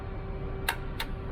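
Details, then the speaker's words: 2017 Genesis G90 3.3L turbo, towed in with no crank no start: two sharp single clicks about a third of a second apart with no cranking; starter tries to engage, failing starter suspected, unconfirmed. "as you hear that we can hear that our starter trying to start"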